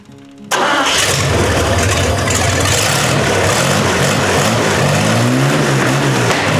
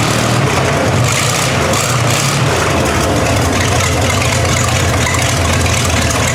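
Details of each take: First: 1960 GMC V12 that had developed a miss despite new plugs: engine catches and settles into a steady, even run on all cylinders after tightening one loose spark plug that was losing compression; miss is gone. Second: 1960 GMC V12 idling, miss persisting after new spark plugs: heavy idle with uneven, lumpy beat where one cylinder keeps dropping out.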